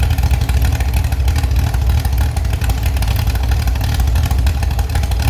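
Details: Restored Chevy SS engine with a non-original cam, started after cranking without coil to prime the oil; deep, even rumble at fast idle with no knocking or ticking, responsive. Normal running.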